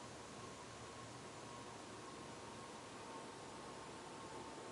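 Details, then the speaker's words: 1991 HRS L-356 industrial ceiling fan after bearing replacement (old rusty, water-damaged bearings noisy), on solid-state control at low speed: soft even airy whoosh with faint buzz, no ticking or rubbing; runs smoothly. "got a little buzz but considering how a lot of fans are on these controls it's pretty freakin quiet"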